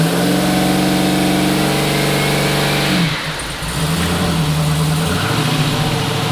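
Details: Twin-turbo 5.3 L33 LS-swapped 1974 Chevrolet Nova after cleaning the fuel system and adding fresh gas for bogging: strong, even note settling to a steady high idle with no stumble; tune and throttle position sensor were changed, so the TPS is a possible cause.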